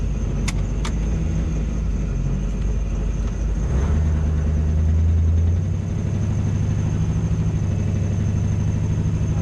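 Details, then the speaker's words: 1971 Oldsmobile Cutlass LS-swapped V8 after lifter repair, on a test drive; deep even drone pulling smoothly under load, no knocks or misses, sheet-metal intake echoey, muffler likely blown by backfires; normal running. "okay we're gonna go for a drive again engine sounds pretty good for the most part"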